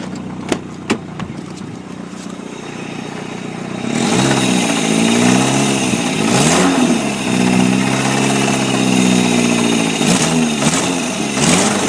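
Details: 1999 Chevy S10 2.2 five-speed, rebuilt engine with a persistent stutter: starts, idles, then revs with a dull knock under the engine note that follows the revs; owner calls it rod knock, unconfirmed.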